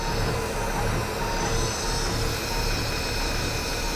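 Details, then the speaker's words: Older Cat diesel truck at auction idling after a quick start, sounding a little tired with a steady, slightly uneven rumble and no distinct knock; more white smoke than expected, oil pressure about 60 psi; cause not confirmed. "actually it shouldn't be smoking that much what do we got for oil pressure this one sounds a little more tired"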